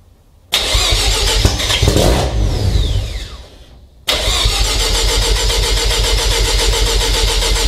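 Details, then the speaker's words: Mazda RX7 FC3S rotary on Haltech Elite 1500 ECU, cold start with no idle air control (BAC) valve fitted: catches, revs raggedly, fades and dies, restarts only with much throttle; needs idle air control valve. "So as you can see, I need to give it quite a bit of throttle even to get it to start up and hold any sort of operating RPM. So we definitely are in need of an idle air control valve."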